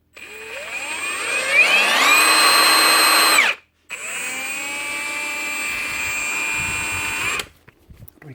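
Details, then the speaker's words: Milwaukee M18 FHIWF12 nut gun after cleaning dirt and grease from an intermittent switch that made it stop on trigger pull: motor spins up to steady high whine, runs evenly, stops and restarts smoothly; clicking gone. "Clicking noise is gone too. That's her."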